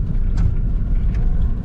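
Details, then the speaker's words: Lada 4x4 Niva driven over a rough track after the seat mounts were lubricated with Litol to cure a squeak: low road rumble and thumps, no creak or squeak from the seat. "вот она дорога с . совсем не скрипит соединить не знаю сколько продержится это дело конечно но"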